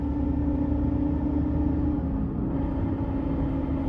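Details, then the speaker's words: 2018 Ford F-150 Raptor at 40k miles, in cab coasting on decel and very light throttle: steady mid-pitched whine over driveline rumble, changing with throttle load; owner suspects driveshaft bearing in the rear, unconfirmed. "So yeah, on decel and on like very, very light throttle, it makes a different sound, like a slightly different sound. Presumably it's a different load on the bearing, whether you're loading it up with throttle or loading in the, let's say, another way with decel."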